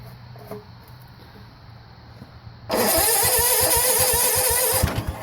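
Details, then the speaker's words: 1970 Sears Suburban tractor, 16hp OHV Tecumseh, after a no-spark magnet repair: starter cranks, engine fires once or twice then dies with the throttle closed; spark and fuel in the carb throat confirmed, and the throttle cable is found not held in. "oo that's a good s love how it's like only want to fire like once or twice yeah weird"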